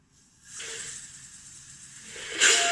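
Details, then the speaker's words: Chevrolet Lacetti not starting cold on petrol; old fuel pump assembly bench-tested with compressor air on return line: steady hiss surging louder; relief valve opens about 3.8–4 atmospheres and works, but assembly itself leaks and won't hold pressure. "А взагалі не держить сама система."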